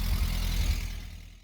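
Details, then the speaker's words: VW MK2 Golf 1.6 Driver, first firing after replacing the electronic distributor ignition module: low, steady idle with an even beat and no misses, dropping away smoothly as the throttle closes; runs normally. "It was just the electronic distributor ignition module, and away she went. Away she went. What a beauty."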